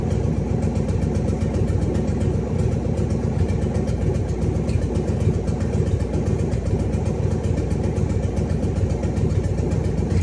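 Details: Cadillac 500 big-block V8, first start after a rebuild: a deep, steady rumble with even pulses and no tapping or misfire, idling cleanly.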